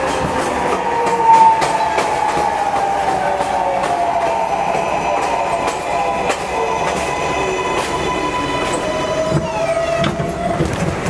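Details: MTA R142A car 7686 on a Manhattan-bound 4 train, 183rd Street next: loud steady whining howl over rail clatter, sliding in pitch as the train changes speed; abnormal traction motor howl, later fixed.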